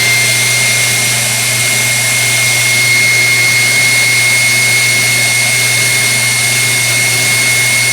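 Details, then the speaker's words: KitchenAid Artisan mixer, 6–7 years old and barely used, rough since new, after new brushes and a speed control plate adjustment: a steady high motor whine with coarse grinding; armature, governor, bearing or control board are suspected. "I get it to run again it was the point where it wouldn't run at all but it's still making awful noises"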